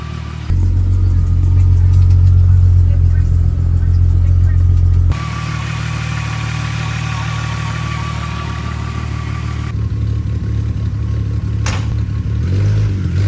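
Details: VR6-swapped 1984 Volkswagen Rabbit GTI catches after cranking to prime a freshly reworked fuel system and settles into a steady, even idle with a small blip, no misfire or leaks; healthy.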